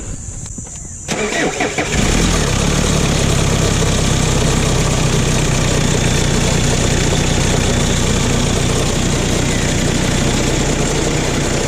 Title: rattling sound sa engine bay/ #rattling #hyundai #starex